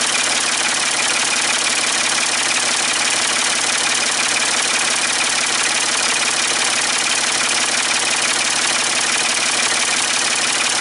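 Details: Ford 550 TLB backhoe, 3-cylinder diesel, after reassembly and injector fuel bleeding, cool day: even, steady idle clatter with no misses or heavy knock; running smoothly and healthy, small injector return-line drip only.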